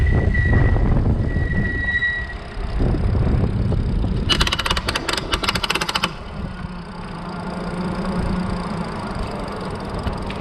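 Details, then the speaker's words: Super73 RX e-bike, microphone mounted pointing at the rear wheel: wind and riding noise, then a harsh gritty grinding burst of about two seconds from the rear hub motor, occurring each time when leaning and on hard throttle. "so there you go we got it two times every single time was when I was leaning and gunning it on the throttle"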